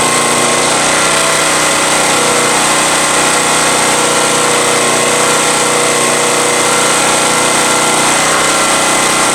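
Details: Honda EX1000 generator after carburetor cleaning, carb cover refitted, choke fully off: constant, even high-pitched drone holding steady with no surging or misfire; running smoothly at speed.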